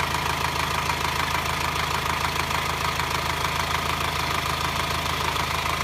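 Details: 2009 Subaru Forester diesel, hot engine at low rpm: steady metallic clatter about three ticks a second over the idle. Also heard when accelerating, worse in hot weather, absent when cold. No smoke, pulls fine; cause unknown to mechanics.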